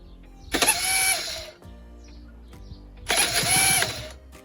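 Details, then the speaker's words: 1999 Aprilia RS125 two-stroke under restoration: two short bursts of harsh high-pitched whirring and grinding with no engine catching; worn-out starter motor, to be replaced with a pattern part. "So you might remember last time I said the starter motor had absolutely had it, and that was made pretty evident by this sound."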